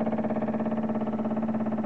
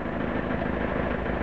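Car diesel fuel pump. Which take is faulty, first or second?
first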